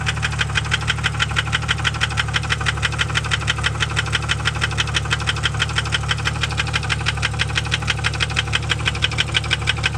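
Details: 1998 Jeep Grand Cherokee Laredo 4.0 inline-six idling low and smooth with a quick, even knock tapping steadily in time with engine speed.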